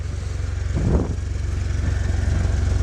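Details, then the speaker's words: Joyner Renegade R2 4x4, Chery automotive engine, 5-speed manual: steady even low putter settling back after a quick throttle blip, regular firing, no knocks; quiet, no smoke, healthy idle. "But the motor sounds good, it's quiet, there's no smoke. I think the motor's just fine."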